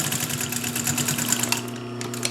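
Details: Pfaff 134 sewing machine sewing through 8 layers; quick, even needle ticking with smooth motor hum, no labouring or knocking, sewing normally.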